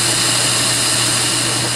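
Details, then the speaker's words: Lathe facing off 2 5/8 in cast iron stock held in a steady rest on a rough surface, for a steam engine piston valve: steady high-pitched machining hiss with faint hum and light tool chatter. "but it was chattering a little bit, so it's going to be a little bit noisy when I turn it on."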